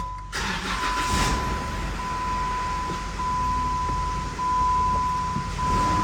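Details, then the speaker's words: 2013 Jeep Wrangler Pentastar with flashing check engine light, P0303 cylinder 3 misfire and open-circuit codes for all six fuel injectors: engine cranks, catches, then runs rough with an uneven stumbling beat under a steady warning tone. "still feels awful rough still feels awful rough all right I'm gonna get the scanner out okay we've got all those opens and the fuel injectors and the misfire"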